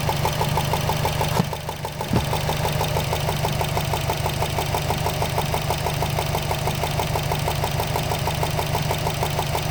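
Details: 2013 Subaru Impreza WRX petrol engine at idle: sharp, rapid, even ticking like a golf ball sliding around, located near the turbo; owner cannot find the cause.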